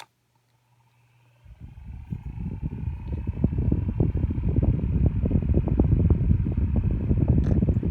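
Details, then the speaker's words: Old Lasko 6-inch personal table fan on low: soft, steady whir, not too loud, with no rattle or scrape; runs normally and pushes a nice breeze. "has a very nice sound to it I remember the sound when I was younger it's not too loud either pushes a very nice breeze on low"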